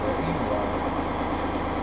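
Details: Massey Ferguson 5610 tractor idling after its 500-hour service fuel water-separator filter change; it started right up and never missed. Steady low diesel clatter at an even pace with no misses or knocks: a healthy idle.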